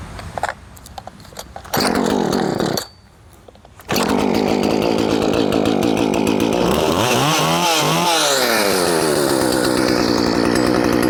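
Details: Restored Poulan 2500 Farmhand chainsaw (same as 2900) cutting wood, chain swapped from 3/8 low profile to .325, started on choke after a couple hours' rest; crisp two-stroke snarl revving freely and pulling steadily through the cut; runs good.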